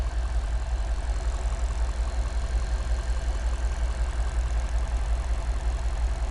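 Lumpy idle with a steady stumble around two to three times a second, deep and uneven; a cylinder misfiring from worn rings.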